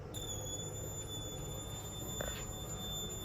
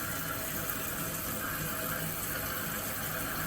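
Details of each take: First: Toilet squeals when the kitchen faucet is turned on, a steady high-pitched squeal over a low water rush; the tank fill valve is shot; lifting it stops the squeal. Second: Kohler toilet after replacing the squealing fill valve, water on and tank refilling after flush: steady rushing hiss with no squeal or chatter; new valve fills normally, later found set too high.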